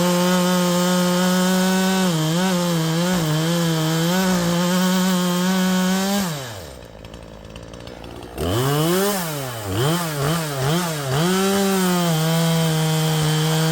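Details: A Poulan Pro 5020 chainsaw with a 20-inch bar, 72-link chain and freshly sharpened chain holds high revs in the cut, then sags hard and stumbles before hunting back up, as if starving for fuel. The owner wonders if it needs leaning out; the cause is unconfirmed.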